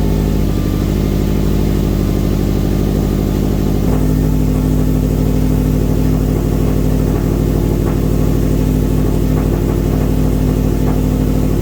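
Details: Subaru started after fixing a suspected electrical fault that may have been drawing too much current, with the airbag fuse pulled. It catches and settles into a steady, even, low-pitched idle with no knocks or rattles, running properly.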